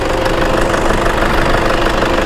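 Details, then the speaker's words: 2012 Toyota Fortuner G VNT 2KD turbo diesel automatic, 152,000 km, freshly serviced, no blow-by at dipstick or oil cap; even idle clatter with steady rhythm, no misses or odd knocks, typical healthy 2KD sound. "Nah ini kita lihatkan mesinnya, ciri khasnya diesel 2KD ya, khas suara dieselnya."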